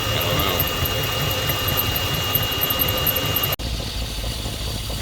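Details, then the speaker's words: LS V8 in a roughly 2003 donor truck with a 4L60E: an even, quiet idle with a smooth, steady rumble. The earlier rhythmic pumping noise, suspected to be the water pump, is now gone. "the know off look how quiet it is that pumping noise is gone"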